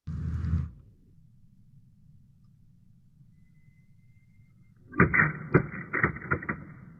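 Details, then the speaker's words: Cavitation demonstration with a water-filled tube, slow-motion playback; quiet then a cluster of sharp cracks and snaps about five seconds in as vapor bubbles collapse hard inside the tube. "so i understand that that is really fast that's kind of the world of cavitation but i do have a slow motion video okay here we go and if you listen click carefully you can hear that cracking"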